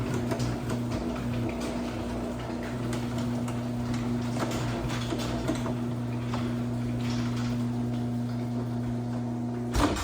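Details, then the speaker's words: LiftMaster 8557 Elite Series 3/4 HP AC-motor garage door opener on a 16x7 CHI 5283 door: a smooth steady hum with a faint constant whine. This is normal for 3/4 HP units, and the whine fades as the motor runs and warms. "You'll notice on the 3/4 horsepower machines, they have a whine. The more you run them and the warmer the motor gets, the less you hear the whine. That's very common."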